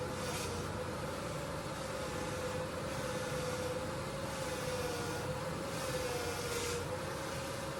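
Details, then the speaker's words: 1999 Ford Ranger running after upper control arm (ball joint) replacement: a steady, even drone with a faint wavering tone and no clicking; the earlier clicking was blamed on the ball joint, and the wheel bearings felt fine. "Sweet. Clicking's gone."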